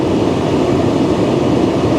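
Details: 2013 Tesla Model S P85 cabin blower after blower resistor and DC/DC converter replacement, heater still warming up: loud, even whoosh of air holding steady, no squeal, ticking or wobble; blower healthy.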